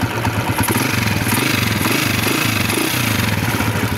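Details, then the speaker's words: Hard-starting, misfiring, stalling TMX 155 after CDI socket wiring repair: steady even single-cylinder putter at idle, keeps running even when wiring is moved; normal idle. "Kahit galaw-galawin pa natin ito, ayan, hindi siya namamatay."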